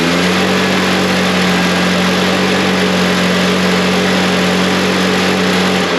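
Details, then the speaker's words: Backpack blower, two-stroke, started with choke off after the old fuel was drained and replaced with new gas; steady, even high-pitched drone at constant speed with no stumbling or surging, showing the old fuel was bad. Normal running. "All right. That kind of shows uh me that the fuel he's been putting in this is not good."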